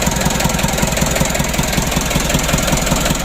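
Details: Mitsubishi Canter 136 PS HDL diesel, first start after rebuild following overheating: steady idle with even, regular clatter of about two to three beats a second, smooth and stable throughout; normal idle.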